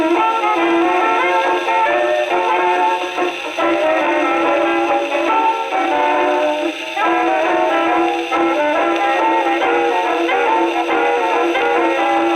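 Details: Second HMV No. 4 reproducer, just rebuilt, comparison test on Victrola VV-50 with brand-new mainspring: clear, full brass-band tone at steady level, no buzzing or rattle; sounds like a decent reproducer.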